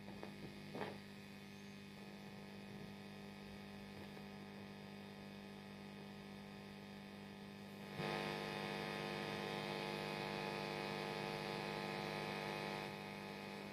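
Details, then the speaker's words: Well-gigged 1990s Vox AC30/6TBX amp, just powered up with all knobs turned down, gives a steady low mains hum with a buzzy edge that jumps louder around eight seconds; the amp also has crackly pots and the source is unknown. "Right, we're up and running. My word, that is noisy."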